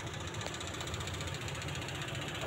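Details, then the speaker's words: LPG-fuelled utility vehicle that was hard to start with an unstable idle, after repairs (distributor/coil tagged): steady, even idle with a soft low throb and no misses or stumbles. It is now stable and running well. "Ini sangat bagus. Semuanya baik-baik saja."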